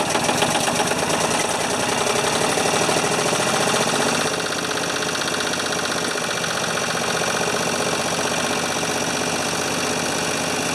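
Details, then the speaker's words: 1980 or 1981 Ford 2600 gasoline tractor, running after carburetor rebuild, cleaned points, temporary fuel tank and new starter, started on choke: loud, steady chugging idle with a busy rattle that settles slightly. Normal idle. "uh well i guess when you replace everything on the tractor it uh it runs"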